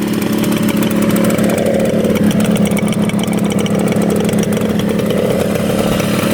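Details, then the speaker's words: 1975 Yamaha RD200 two-stroke twin, first start after 20+ years in a barn: crisp, steady, fairly high idle around 2,000 rpm, even with no hunting or air leaks; both cylinders firing, only a leaking petcock; normal idle. "first start idles perfectly a single issue with it except the leaking petcock which hopefully goes away"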